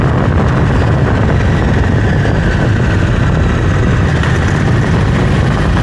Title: Close up of Africa Twin CRF 1100l noise when accelerating